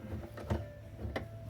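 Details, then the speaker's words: Electrolux LT12 washing machine fitted with a used replacement motor from another machine, replacing a noisy one, belt to be tensioned: soft low hum, faint steady tone, few light clicks, no grinding; motor runs quietly and normally. "Pessoal esse motor aqui eu tirei ele de outra máquina e nós vamos ajudar um cliente aqui a gente não tem muita condição de colocar o motor novo então nós vamos dar uma forcinha para eles aqui colocar o motor aqui ele vai funcionar bem agora só dá uma rodadinha motor não tem barulho pessoal"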